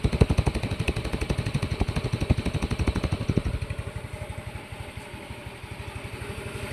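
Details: Yamaha Mio i 125 scooter engine after repairing knock caused by running low on oil, started with the pulley set removed: even putter, about four beats a second, no knock or rattle; normal healthy idle after repair.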